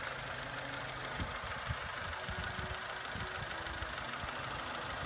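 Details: Vauxhall Corsa engine that had suffered low oil pressure for a while, recorded before being replaced with a new engine: uneven knocking thuds, about three a second, over a ragged idle. Worn engine knocking, exact cause not confirmed.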